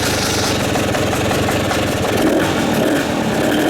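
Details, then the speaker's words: 2017 Husqvarna 300 two-stroke (owner thinks TE), first start after new RK Tek head and piston top-end install, choke on, radiator cap off: crisp, rapid, even crackle at steady fast idle, no knocks or misses; healthy. "Always a good sign."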